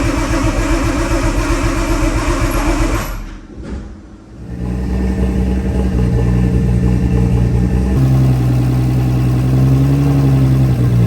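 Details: Nissan R32 RB20 straight-six, first start in 3 years, open downpipe with no exhaust: loud, raspy idle dips briefly then settles into a steady, even beat, no tapping or knocking; engine sounds healthy despite earlier concern, normal idle.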